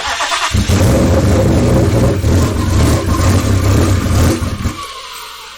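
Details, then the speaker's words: Twin-turbo Ford Mustang build, first start, no tune yet, running on E85; catches and runs unevenly with a lumpy, stumbling beat for about four seconds, then dies. Owner suspects oversized injectors making it too rich, possibly the high-pressure pump. "i believe those big injectors that are in there are too big and it's too rich i even put e85 in this thing in hopes that would lean it out and at least it kind of sort of runs now but still not really"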